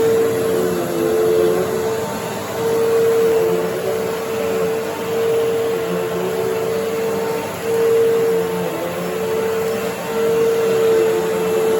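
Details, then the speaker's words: 1997 Fantom Fury 10 amp vacuum cleaner, 25 years old, on highest setting pushed over carpet: steady high motor whine over strong rush of air through machine and hose, rising and falling slightly; runs very nicely, good suction. "so you can see that despite being a 25 year old phantom it runs very nicely and for fury you can hear there's a lot of air moving through the machine and through the hose"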